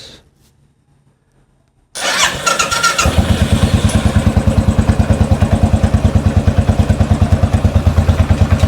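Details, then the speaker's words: Rebuilt 2013 Royal Enfield Classic 500 engine on its first start: it catches and settles into an even thump about three per second with faint light clicks. The owner suspects the oil hasn't pumped up yet. "Um made a couple of clicky noises, so I don't know whether that's just cuz the oil's not pumped up straight away."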